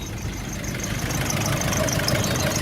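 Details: Nissan Navara D40 YD25 diesel after oil, oil filter and both fuel filters changed and fuel system bled (previously idled badly and spat on take-off): steady, even clatter at idle with no stumbling, now idling normally.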